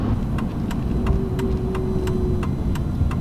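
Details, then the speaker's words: Rusty daily-driver pickup truck on the road while slowing: steady rumble with light sharp ticks about three per second and a faint tone, like metal barely touching something; intermittent metallic rubbing, cause unidentified, owner doubts a bearing. "it's like there's something metal like barely touching something I don't even know how to describe it and I can't figure out what the noise is"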